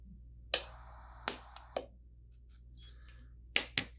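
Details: Several short, sharp snaps with quiet gaps, each a clean single crack: an mPulse permanent-jewelry welder firing proper pulses while welding a jump ring held in paint-stripped grounding pliers.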